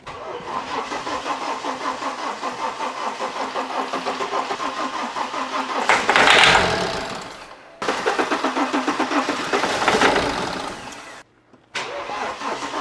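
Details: BMW E91 LCI diesel, used replacement engine with new timing chains, after fuel system bleed; cranks, catches and settles into even clatter about four knocks a second, no misses; engine performing flawlessly, normal start and idle.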